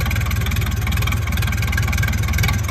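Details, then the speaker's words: Massey Ferguson 168 diesel tractor, restoration, just restarted after about two months standing; steady, even diesel chug at idle with regular firing pulses, no knocks or misses. Runs smooth and healthy. "So, uh, yeah, she finally lives and breathes and runs again."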